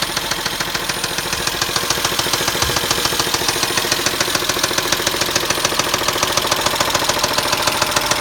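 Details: Steady internal engine knock on a Pacifica, sharp and very even at about 3.5 per second over the idle; cause not yet pinned down.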